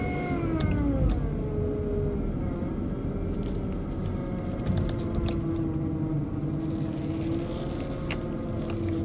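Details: BMW 120i E87 running: steady mid-pitched motor-like hum over the engine note, seemingly from behind the airbox; oil change did not cure it, cause unknown.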